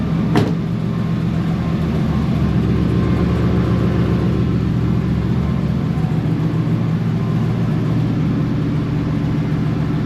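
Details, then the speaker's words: Chevy Suburban 454 V8 after dropping tank and fixing no-fuel-pressure issue that made it die: steady, even low idle rumble with no stumbling or dying; normal idle. "let's see if it stays on that was the issue we were having where it wouldn't stay on I think it's going to stay on"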